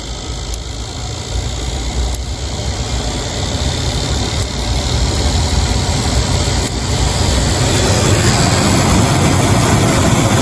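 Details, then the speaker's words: 1997 Jeep Grand Cherokee blower, key just before run, defrost mode: steady rushing fan grows gradually louder as knob moves low to high; normal blower speed increase. "we got it working and it seems to be working as I adjusted the knob from low to high it was gradually getting faster"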